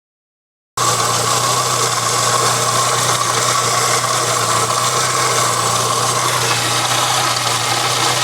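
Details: 1997 Saab 900 S, which also has a water leak: steady idle with a quick light tick, roughly three or four per second, over the engine hum. The source of the clicking is unclear.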